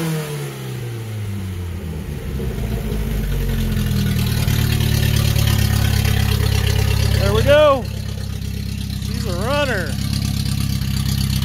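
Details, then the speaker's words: Datsun 521 after engine work, L18 engine with W53 head and Weber 32/36 carburetor: it catches, settles into a smooth idle, then revs rise cleanly and drop back evenly; healthy running after the rebuild. "there we go she rips that's uh l18 w53 head weber 3236 that's uh she's gonna rev up nice and happy and get this 521 scooting along real nice"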